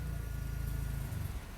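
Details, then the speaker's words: Mazda FD RX-7 rotary on the dyno just after major vacuum leaks were fixed; a low, choppy, hunting idle that fades, running lean at idle: rich at first, then it drifts lean and wants more fuel. "So, that that's what it sounds like when it's when it's lean at idle. And I'd say with all the leaks we fixed, that probably makes sense."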